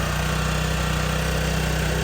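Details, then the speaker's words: 2004 Honda CG125 after sitting about 15 years, idling on choke: a small single thumping along steadily and evenly with no misses or knocks. Runs normally, better with the choke off, and the idle speed needs slight adjustment. "Sounds good. It's got the uh choke on."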